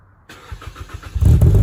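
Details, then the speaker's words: Mazda 3 cold start after new NGK spark plugs and breather filter: catches, settles into rough, lumpy fast idle that steadies as ECU relearns idle; normal cold start. "look at the engine I mean so far it's holding up pretty good just trying to relearn the idle again but a little early there looks good that's a good sign"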